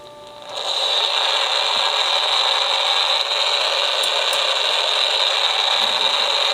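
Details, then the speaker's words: Homebuilt AM superheterodyne receiver tuned near 1390 with antenna on clip leads, not wired in: only steady hiss and a high whistle, no voice or music, so the local station isn't being picked up. "so my my deal is I don't think it's actually picking up the radio station though"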